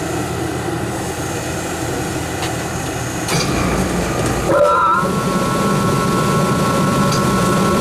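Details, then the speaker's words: Rheem 8-ton AC unit after the blower belt was replaced: smooth constant whoosh from the blower with a steady motor tone, no belt squeal or bearing growl; motor and bearings good, normal running. "that's fine it looks good everything sounds good the motor is good"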